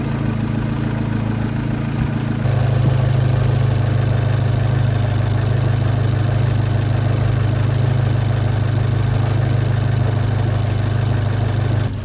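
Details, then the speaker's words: Abarth/Fiat 500 idling after replacing a year-old noisy MEYLE aftermarket drive belt with a genuine belt: steady even idle hum, no squeal, chirp or rubbing from belt area; rubbing noise gone after replacement. "After the replacement, you can't hear any rubbing noise."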